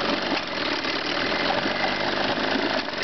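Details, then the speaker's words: Chrysler/Sea King 9.9hp two-stroke outboard idling roughly with uneven stumbling beats, a lean misfire at idle; fixed by backing the low-speed fuel mixture screw counterclockwise about a quarter turn. "okay I got one to run lean here this is the misfire they do when they're"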